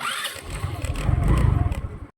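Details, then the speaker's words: Rusi Rapid scooter, unused for two years, with a newly fitted D-type carburetor: barely catches, pops unevenly about two seconds and dies with no idle; hard starting and stalling suspected to be from rust in the carburetor jets and moss on the diaphragm. "Ayan oh pagka pinat natin tapos di natin sinawa ng gasolina Ang hirap niya paandarin Ayan oh oh re patay na"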